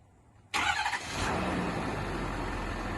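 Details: 2012 Ford F-250 6.7 Powerstroke diesel just after installing an upgraded charge pipe and redoing the boot: catches at once and settles to a steady, even idle with no hiss or whistle from the intake; no boost leak, healthy.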